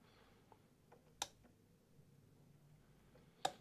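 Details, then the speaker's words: Troy-Bilt TB30R 30-inch rear-engine riding mower, no-crank complaint, on a jump pack: one sharp click from the engine side each time the key goes on, showing the fuel solenoid is getting voltage; normal. "Let's turn the key to on and see what we get. You can hear a click coming from the engine side."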